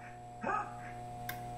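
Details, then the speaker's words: 1992 Data East Hook pinball machine after power board replacement: low, steady 60 Hz mains hum with even overtones from the sound board, fixed by feeding it 5 V, -12 V and 12 V from a desktop computer power supply. "you can hear that buzz quite a bit let's see what we can do about it"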